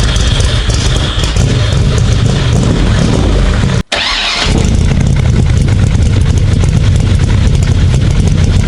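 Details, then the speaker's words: 427 Cobra V8, restart after rewiring and a starter that blew up: brief cranking, then it catches and settles into a deep, even idle with no misses or knocks; healthy start. "You fix it, you put it back together, you turn that key and that fires up. Man, that feeling, there's nothing like it."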